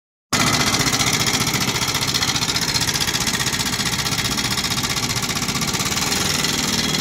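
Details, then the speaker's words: Honda NS150 motorcycle: busy metallic ticking and clatter over fast single-cylinder idle; checking head, timing chain tension and rocker arm, pointing to worn rocker arm and camshaft from oil starvation. "patingan natin yung head patingan natin head titingan natin kung mahigpit yung timing Chin titingan nating rocker arm kung good yung rocker arm"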